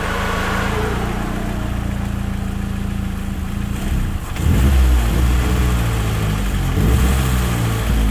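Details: Car running on CNG and gasoline with varying idle, stumbling and high consumption: the engine runs rough and cannot hold revs, sagging and surging as throttle blips keep it from stalling. Heat-exposed, melting parts are suspected.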